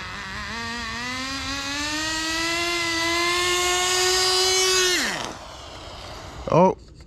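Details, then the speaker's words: Turbocharged nitro RC car; high buzzy note climbs, then sags and stalls; owner suspects the transmission was burnt out last run, as it wasn't shifting and sounded boggy, and plans to take some fuel out; engine stalling. "and she died oh man"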